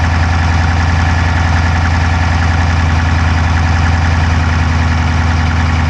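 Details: Dodge Charger Hemi V8 at idle, recorded inside driver's side engine bay: fast light ticking about three per second over smooth idle; no smoke from exhaust so owner doubts dropped valve, cause unknown.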